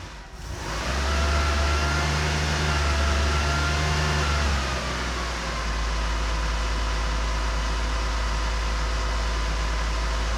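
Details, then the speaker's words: Porsche 912 run out of gear, gas pedal connected, about a gallon of fuel in tank: catches, revs up and down unevenly, settles into low shaky idle, worse than on engine stand; rough running, owner suspects low-fuel starvation, unconfirmed. "yeah it's not really happy because this doesn't sound as good as it does on the engine stand so let's do some more troubleshooting"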